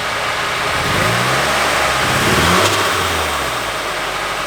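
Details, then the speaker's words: Nissan 240SX S14 Kouki SR20DET during injector unplug test: uneven stumbling beat through a quick rev and settle, pulses dropping out; unplugging injector three makes it die, injector one changes nothing, so that injector is faulty. "Every time I unplug the first one, it stays the same now. Oh yeah, see, look at that. I just unplugged the third one and it's dying."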